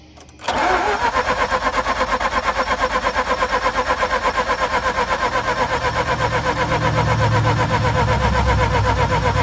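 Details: Mazda RX-8 rotary with stuck alternator pulley, weak battery, 40-amp boost, some exhaust smoke: steady even cranking about three beats a second for nearly nine seconds, never catching; turns over but won't fire.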